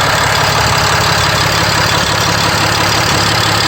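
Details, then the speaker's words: RAM 5500 with 6.7L Cummins diesel idling right after upper fuel filter replacement and priming; fired up almost instantly. Steady, even idle with a brisk, regular clatter and no misses or surging, a healthy normal idle. "Now we're running, we fired right up. Okay, let's go outside. Yeah, it's running."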